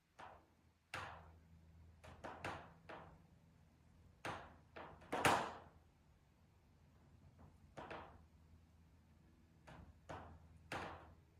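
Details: Steel riveted sunroom in direct afternoon sun around 3:50 pm: sharp irregular pops and clicks about once a second as rivets expand and contract from heat; happens only when sun hits it directly.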